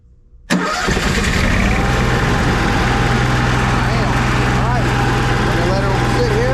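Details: Cummins 5500 RV generator with few hours, cover off, primed and started to warm up before an oil change: brief crank, catches at once and settles into a steady, even low drone with no misses or knocks; normal start and warm-up run.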